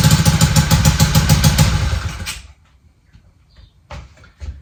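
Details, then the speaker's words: Honda DAX ST70 converted with a Lifan 125cc engine, first start after fitting a custom bent exhaust: loud, sharp, harsh raspy puffing at idle rather than muffled; header not sealing where it meets the cylinder head, exhaust leak. "One, it's not sealing properly in the front by the head. You can hear it. It's terrible."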